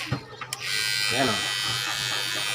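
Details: Cordless hair clipper after switch repair, still stock and unadjusted: after a few clicks the motor comes up to a steady high buzz and holds without cutting out; the repaired switch works.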